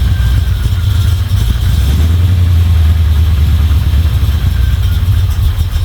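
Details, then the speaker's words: Chevy 350 small-block V8 in a Toyota Land Cruiser HJ75 Troopy, after refitting rocker cover, chasing a valvetrain tick: deep steady idle burble with even pulses, no miss or tick. "test the next thing that could be wrong but at the moment that sounds pretty good"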